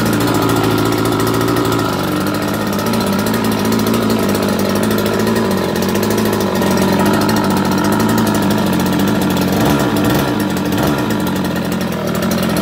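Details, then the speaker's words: Brand-new two-stroke scooter engine: steady, buzzing idle with even popping and no misses or knocks, smoking heavily from the premix fuel. Normal idle. "it still runs just fine smokes like crazy because the premix"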